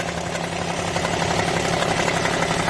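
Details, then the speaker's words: Suzuki Alto small petrol engine idling with a fast, busy metallic rattle inside the engine; low oil or pulley cover suspected at first, but the timing chain tensioner was found loose, leaving a slack chain. "Où étais-je surpris par un bruit étrange à l'intérieur du moteur ? Où ai-je cherché partout la cause de ce bruit, mais en vain ?"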